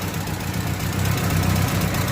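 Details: Engine idling after a cooling-system repair, now at normal temperature. Fast, light ticking over an uneven idle rumble, steady with engine speed. The carburetor is still faulty and to be replaced; a tune-up and valve clearance adjustment are planned to remove the tappet-type noise.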